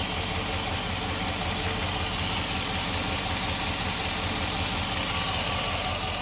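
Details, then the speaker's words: 4.7L V8 after cylinder head replacement idling with a low, even pulse under a constant airy hiss from the engine bay; no vacuum leak code, vacuum leak suspected but not found. "There's still that vacuum. it sounds like a hissing from in here somewhere. Well, it's not throwing a code for any vacuum loop. Something's hissing."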